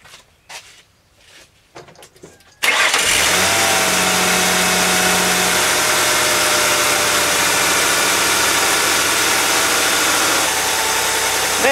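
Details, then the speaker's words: 2002 Mercury Sable after new plugs, wires, coil pack, valve cover gaskets and plug seals, cracked vacuum tube patched: short crank, clean catch, smooth even idle with no stumble. "there is no misfiring no check engine light so it's like this one's good to go"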